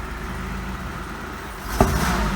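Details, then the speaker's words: Oldsmobile Ciera wagon, revved soon after start: uneven running then a sharp pop and stumbling revs; misfire on revving, owner suspects carbon burning off or coil pack. "ah you bastard still missing again that could just be I just pulled a muscle in my leg could just be that it's still burning the the carbon out being"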